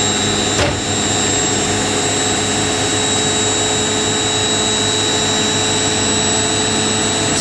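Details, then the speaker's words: Indesit IWC71452 washing machine spinning up from 800 toward 1400 rpm: steady high whine over an even rushing spin, no knocking or scraping; a clean, healthy high-speed spin. "We go 14. It sounds like it does the same as the washer in my plant does."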